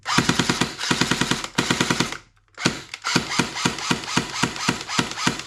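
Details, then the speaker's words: Secondhand airsoft Thompson AEG, before service, firing with stick magazine: crisp even rattling bursts of fast shots with clean stops — gearbox cycles smoothly, sounds working. "well, it sounds like it's working."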